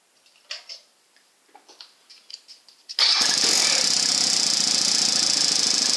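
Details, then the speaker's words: Suzuki DR 650 just after stator and pulse coil replacement: single-cylinder idle with a busy metallic rattle, mostly from the left engine cover; owner suspects a part left inside or a washer left out, unconfirmed. "Just replaced the stator and pulse coil, been having some issues, but now when I turn on sounds like something's down in there or something's rattling loose."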